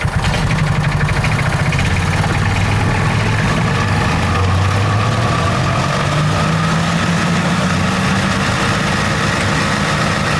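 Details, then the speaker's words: John Deere Gator 4x2 at full throttle with parking brake applied (clutch downshift test): engine drones hard, pitch sagging then climbing, with rough uneven clatter from the driven clutch; clutches make bad noises, owner suspects belt/clutch tension issues. "Wow, that was uh anything but um graceful. We'll just shut that thing down here. Okay, that was sketchy and I didn't really like how that sounded."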